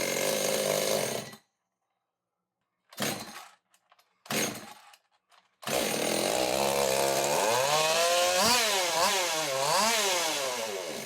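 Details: Echo chainsaw hybrid, 93cc top end on 60cc chassis with newer-seal 620 carb: cuts out, restarts, pitch hunts up and down; erratic surging, owner suspects air leak, possibly thin rotted crankcase, pressure-vacuum test planned.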